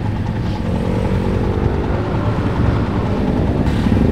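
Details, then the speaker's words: 18-year-old 2003 Honda Tiger just after engine rebuild (oversize 25, NPP piston set, Motul 3000 plus 20W50), breaking in: steady low single-cylinder thrum with gentle, even pulls, no knocks or rattles; still pulls well, normal running. "Ini Beruang udah 18 tahun teman, motor ini udah 18 tahun ya, udah 18 tahun tapi masih enak banget. Masih enak banget teman-teman, tarikannya masih enak"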